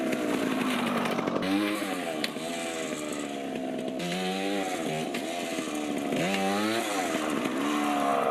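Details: 1980 Yamaha GT80 two-stroke mini bike after carb and gas tank cleaning: crisp, buzzy engine revving cleanly under load while riding, picking up without missing or bogging; running healthy, though fork popping is noted.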